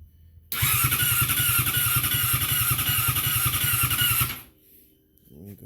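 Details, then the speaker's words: 2012 Yamaha R6, wrecked and being rebuilt, starter cranks steadily about 160 turns a minute for four seconds without firing; fuel pump heard priming, tip sensor replaced with same result, cause unknown; crank no start. "But she crank, but she ain't firing up."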